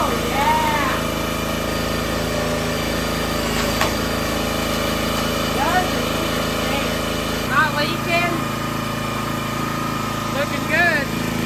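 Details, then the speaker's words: Brand-new minibike single-cylinder engine on a repowered $200 log splitter: steady even beat, then settles to a lower smooth note; healthy running. "She splits good. She runs good."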